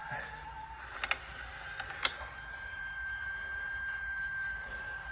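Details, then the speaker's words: VCR playing a VHS-C home-movie tape: a thin steady high squeal over faint mechanism clicks; the squeal persists with another customer's tape, so the player is suspected to need maintenance, not confirmed. "it's coming through but something's up with this VCR listen that is not pretty"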